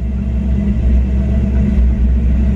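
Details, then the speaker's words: 1994 Ford Mustang GT V8 with a bad idle, during the OBD1 KOER cylinder balance test: deep rumble that turns briefly lumpy as each cylinder drops out in turn. Code 9 confirms all eight cylinders firing properly. "so that nine means that all eight cylinders are firing properly"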